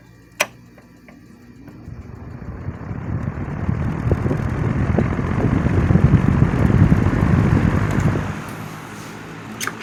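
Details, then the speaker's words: 1987 Patton CA-1284 12" rotary box fan starting up on medium after being oiled with Singer sewing machine oil. A soft airy whoosh builds to a steady speed with no rattle or squeal; everything works properly. "okay awesome looks like this came in full circle after all everything is working properly this fan is right where it belongs"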